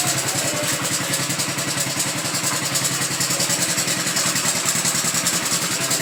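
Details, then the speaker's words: Honda Biz 100 motorcycle idling with a fast, light metallic rattle over the exhaust beat, with the engine also smoking. Cam chain is about 90% suspected. "mas esse barulhinho que apresenta na Biz 100 é corrente do comando tá muito provavelmente seja o caso dessa aqui é bem parecida é corrente do comando é 90% que seja corrente de comando"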